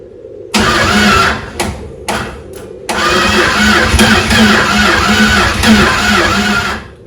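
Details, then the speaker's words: Chrysler 360 LA V8 in a Valiant CH two-door hardtop, first start in a long time after a starter replacement, with heavy blow-by. Repeated cranking bursts with weak catches that die; hard starting, cause unknown. "it's tried to fire but not very well um well first time has done that"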